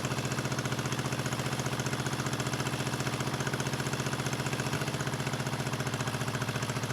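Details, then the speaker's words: 1974 Honda CB350F four-cylinder, left sitting outside for years with rusty coil grounds, first start: lumpy, uneven idle with a hard chuffing beat, running on two cylinders, later three; owner suspects a carburetor float or pilot jet issue. "they're running out two cylinders"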